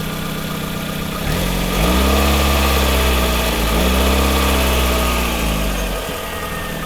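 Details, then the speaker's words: Hyundai Tucson after a tensioner fix, revved from idle: smooth, even rev that settles back, with the earlier whistling whine and squeal gone; the belt drive sounds healthy. "Anyway, I'm going to show you how it sounds now that the tensioner is fixed. So, that little whistling whiny sound is finally gone."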